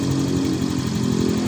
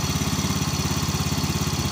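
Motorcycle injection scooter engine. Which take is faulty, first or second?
second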